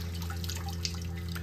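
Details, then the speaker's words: Mitsubishi inverter mini-split heat pump heating in Massachusetts on a humid, rainy/snowy day, in defrost mode with frozen outdoor coil: steady low drone with drips and splashes as melt water pours off, nearly filling a six-gallon bucket; normal defrost condensate. "I got a six gallon bucket here and she's almost full just splashing everywhere but uh yeah defrost"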